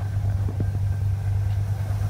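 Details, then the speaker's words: 1990 Ford Bronco, lifted, 351 V8, dual exhaust, at idle: deep steady low rumble with even firing and no knocks or misses; runs pretty good. "you can tell, it runs pretty good. It's a nice, low rumble, that dual exhaust."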